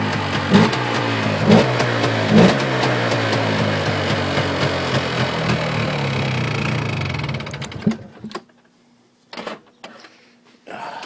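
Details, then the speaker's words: Polaris Xplorer 400 two-stroke 4x4 quad, first start after sitting almost 2 years on old fuel: uneven buzzing with surges, then sags and stalls after about eight seconds; owner says choke was shut off too early and idle turned up. "doesn't want to idle I guess have to uh put back on the choke I shut off the choke way too early I got turned up dle too by the sounds of it"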